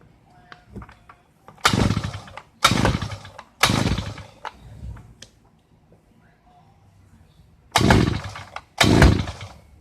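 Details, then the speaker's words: Thunder Bay Y43 post hole digger that won't start but acts like it will: several short pops and sputters catch briefly and die between pulls, never running; hard starting, later fired with a little throttle. "The complaint is it won't start, but it acts like it's going to."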